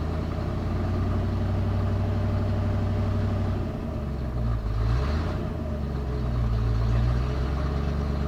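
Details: 1991 Ford F250, rebuilt 351 Windsor V8 converted from EFI to carb, freshly started and warming: uneven idle sagging and surging, hunting afterward; rough idle, possible miss, idle screw to be adjusted.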